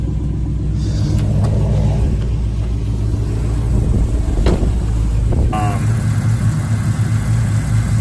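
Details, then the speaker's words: 2010 Chevrolet Camaro SS V8 just after replacing the crankshaft position sensor, which fixed the problem: it starts easily and settles into a steady, even deep rumble with no knocks or misses, sounding healthy. "I fix my problem nationís started like it sounds like I'm put a brand new starter that's how it sounds"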